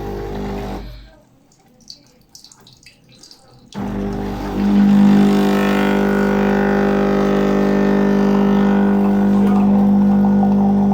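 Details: ZEPLINE ZP6806 coffee machine about two months old, no coffee flowing: after a quiet start, steady low buzzing hum from the vibratory pump, partly burnt, 1.3 MΩ resistance, one winding likely burnt; replacement advised.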